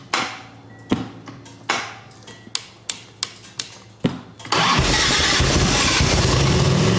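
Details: 1989 Harley Ultra Classic Tour Glide Evo, butterfly carb, warming up and tried without choke; scattered uneven pops that fail to settle, then catches and runs loud; won't hold idle off choke, owner thinks idle may just need turning up.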